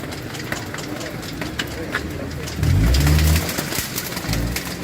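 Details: Car engine at idle with a split, disintegrating auxiliary belt: irregular slapping ticks as loose pieces of the belt flail against the pulleys.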